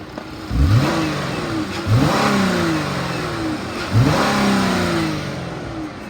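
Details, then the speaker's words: 2015 Dodge Grand Caravan ex-police, 3.6 L V6, 90,000 miles, automatic, running on jump box due to suspected bad alternator: three quick throttle blips climbing cleanly and settling to smooth idle; engine sounds healthy. "it's got the 3.6 Liter V6 the motor sounds good I'll rev it up so you can hear it"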